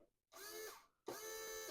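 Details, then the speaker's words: Toyota AE86 fuel pump powered directly with a power probe, tank being cleaned: two sub-second bursts of steady high electric whine, clean start and stop; pump runs normally, fuel feed and return lines clogged. "So let's see if my fuel pump cycles right now."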